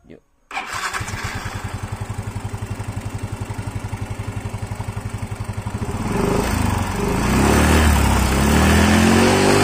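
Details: Yamaha Mio 125 scooter after fixing a leak and tightening its bolts, electric start: starts at once into a steady idle of about four beats a second, then rises smoothly with throttle; now normal.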